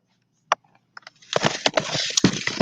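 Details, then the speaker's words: DTG printer switched back on after a print-head cleaning and power-off: a few sharp clicks, then a busy mechanism clatter as it runs its white-ink cycle; a normal startup. "so then what i do is i turn it back on you're gonna hear it make all these weird noises"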